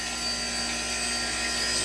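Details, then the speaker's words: Unison Model 2100 CNC grinding system dressing its wheel, profile extended 100 thou so the diamond dresses the full wheel width: even unbroken high hiss with faint steady whine; clean continuous dress. "And it's getting real close to sounding like that right now, where it's just a continuous dress."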